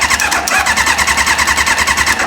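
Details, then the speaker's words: Reliant car with motorbike engine swap, newly plumbed fuel system, fuel line taken off to check delivery: fast, even starter cranking that never catches because no fuel reaches the carb; crank no start. "no we're not getting no fuel so I've gone underneath and I've took the fuel line off"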